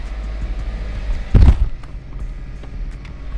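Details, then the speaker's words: Subaru STI first start after engine reinstall: deep steady low rumble with one brief louder thump, otherwise smooth; no check engine light, normal idle (brake light on, cause unsure). "let's pull this car down and go on a drive the car is running absolutely perfect"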